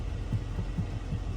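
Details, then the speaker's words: Jeep JK brake pedal rocked by hand gives soft dull knocks, moving about 1/4 inch from worn nylon pivot shaft bushings; rattles over bumps with foot off brake. "I just think that when it goes over bumps and if you don't have your foot on the brake at all, you kind of hear that rattle noise."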